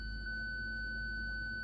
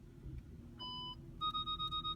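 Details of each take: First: 2006 Audi A8 park assist with a bad front parking sensor, indicator flashing; one loud unbroken high tone with no pulsing when switched on: parking sensor fault warning tone. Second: 2006 Audi A8, after replacing a bad front parking sensor, car started and put in reverse to test: start-up chime, then steady evenly spaced high beeps about five per second; the parking sensors now work.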